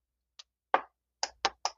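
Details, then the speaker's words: Relay in a 12 V tyre inflator powered from a bench supply: several sharp, dry clicks with no motor following. The relay coil pulls in, but its switch contacts have failed, so the pump never starts. "ये देखिए इसके अंदर एक कटकट सी आवाज आ रही है ये रिले चल रही है और यह भी कटकट की आवाज दे तो रही है लेकिन इसका जो स्विच है वह खराब हो चुका है"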